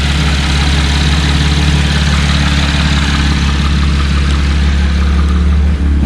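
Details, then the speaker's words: 2017 Camaro V6 2LT/RS after installing Cold Air Inductions SS intake: smooth even low idle, steady rumble, no ticks or knocks, no check engine light; running healthy. "it's looking good let's go and check it out here everything's looking good so far no issues i don't hear anything"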